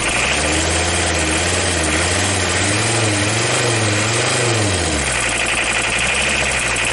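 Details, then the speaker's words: Audi diesel running after at least 12 years standing, timing advanced, air bled, rotten leaking fuel pipe: uneven, wavering drone as revs rise and fall, tired and lumpy; heavy exhaust smoke behind the car. "Look at the smoke behind the car Listen to how it works It smokes a lot."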